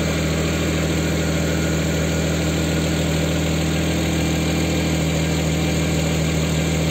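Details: Jaguar XJ40 6-cylinder petrol idling just after its in-tank fuel pump was replaced and a popped fuel-line clip refitted; smooth, even idle with a steady low hum, no misses, knocks or hiss; running healthy.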